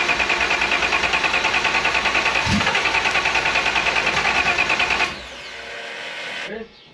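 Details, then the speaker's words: Engine with new homemade intake manifold, laptop tuning of timing and outputs underway: fast even cranking about three turns a second, one sharp pop as it fires once, then stops; hard start with intake backfire, cause not confirmed. "So, we're having a lot of issues uh starting it as you probably saw."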